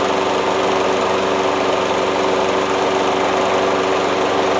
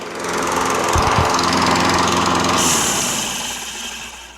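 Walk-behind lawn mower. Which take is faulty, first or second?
second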